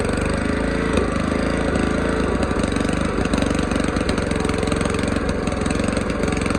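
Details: Old mower's original small single-cylinder engine after its carburettor was cleaned, jets cleared and a new gasket made. It runs with a steady, even beat and holds speed without stumbling or surging. Normal running.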